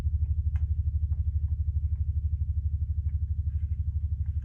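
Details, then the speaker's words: 1967 Fender Showman tube amp, all controls at zero: rhythmic low putt-putt pulsing about twice a second; massive oscillation (motorboating), possibly a broken ground, cause not confirmed. "Whoa. What is that? We have a massive oscillation. That sounds like a broken ground almost."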